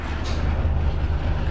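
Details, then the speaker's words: PTAC unit set to cooling with indoor fan on high, after securing the loose cabinet with screws and restoring the faulty control pad: low, even hum with no rattle or buzz; much quieter, dirty unit needs cleaning. "much quieter after i put in the screws this definitely needs a cleaning this could be brushed down very dirty sounds good and we are running"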